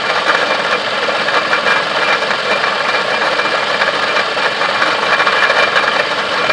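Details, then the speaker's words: Toyota Camry water pump bearing noise at idle: steady gritty rushing hiss with dry rattle at front of engine, distinct from alternator whine that rises with revs; sometimes idler pulley can sound similar. "this horse burns sound that water pump right there"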